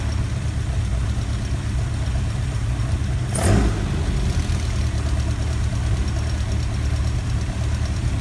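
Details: Ford Kent Crossflow 711M four-cylinder with Dellorto carbs, just fitted with AccuSpark electronic ignition, distributor cap rotated 180°: freshly started idle with light quick tapping over exhaust note and some carb spit-back; owner suspects rockers need adjusting.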